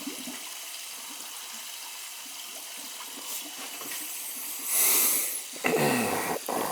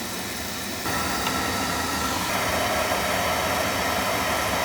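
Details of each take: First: Boiler leaking water, bad expansion tank: quiet hiss then gurgling rush of air and water spitting for a couple seconds while purging trapped air from the hydronic heating loop. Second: Boiler on a service call for leaking water, with a bad expansion tank, purged of air. The burner lights into a steady, even roar with no rumble or pulsing; normal burner firing.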